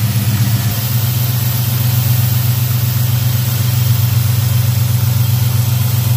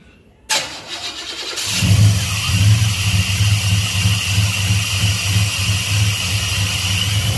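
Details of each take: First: Black Pearl pickup V8 after a TBI throttle body rebuild with cleaned injectors and fuel pressure set a little over 12: a steady, even low idle rumble with no misses, knocks or hunting. Normal idle. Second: Black Pearl pickup after a TBI throttle body rebuild, first start with about 10 psi fuel pressure: it cranks briefly, catches, then settles into an uneven, loping, lumpy idle. Choppy because the MAP sensor vacuum line was disconnected.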